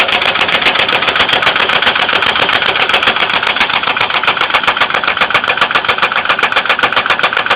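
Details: 2002 Ford Windstar 3.8L at idle: sharp, regular top-end ticking about four per second, steady throughout; engine oil level raised and light-brown milky, appeared overnight after running fine, coolant not noticeably low; cause suspected, not confirmed.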